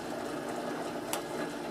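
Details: Advent 300 pressure-sensitive labeler with OPA encapsulator, applying thick labels to molded plastic jars using the overhead pressure arm: a steady light mechanical whir with a soft rhythmic feed patter. Normal label feeding.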